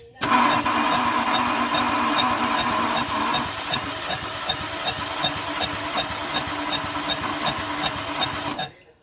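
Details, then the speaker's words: Renault Clio 1.0 16v, weak engine, compression test cranking: steady puffing pulse about 2.5 per second; head gasket blown between cylinders 3 and 4, compression leaking between them. "a Honda está vendo escrever o barulho que faz isso aqui a junta desse cabeçote aqui ela quebrou entre o Sininho três e o Sininho do quatro"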